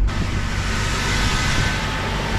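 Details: 2000 Toyota 4Runner with 363,000 miles, first start after fuel pump replacement for a crank-no-start: engine catches and holds a smooth, steady run with no stumbling or misfire; running properly now.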